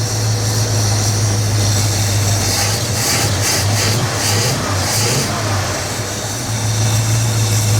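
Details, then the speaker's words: 1967 Lincoln Continental V8 that sat about 29 years, after oil reached the top end; strong even rumble at high idle, ticking gone, running on all cylinders, idle still to be turned down. "it's way quieter you don't hear the ticking noise anymore oh yeah way better we getting more oil over there now she's running on all cylinders now baby"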